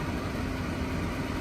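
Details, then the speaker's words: Old Rheem gas furnace after hot surface igniter replacement, blower on its off-delay cooling the heat exchanger: short, steady low hum with no knocks, rubbing or squeal; blower running normally. "We'll let this uh blower cool that heat exchanger for the delay on brake for the blower."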